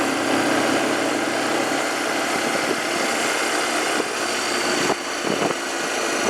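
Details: 2007 Arctic Cat 400 ATV after carburetor cleaning and spark plug replacement: light single-cylinder hum idling evenly with no stumbles or surging, some handling noise; normal idle.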